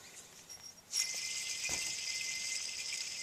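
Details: 2006 Ford F-150: idler pulley removed during pulley and belt replacement, spun by hand, gives a dry, gritty hiss with a faint steady high ring as it coasts down; worn idler bearing, cause of the engine whine.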